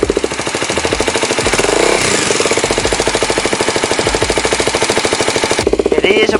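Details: Kawasaki Ninja 250 SL Mono (KLX 250 engine) that ran out of oil, idling: loud fast metallic ticking steady with engine speed; tensioner checked fine, so not cam chain; crankshaft suspected, not confirmed.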